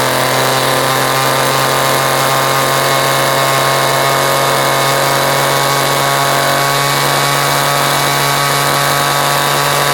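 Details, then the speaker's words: Vintage Homelite edger, a free yard-sale find now repaired, with a governed engine: an even, steady two-stroke buzz at constant pitch with no surging or misfires. It runs essentially flawlessly. "it actually, believe it or not, it actually runs perfectly. It pretty much flawlessly, to be honest."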